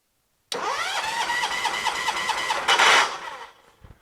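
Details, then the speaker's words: John Deere 214 lawn tractor: starter spins briskly and evenly for about two seconds with no firing; spark tester shows no spark; owner disliked the starter sound, suspects a swapped coil or confused wiring. "well that gives us our answer right there we don't have spark so turn that back off"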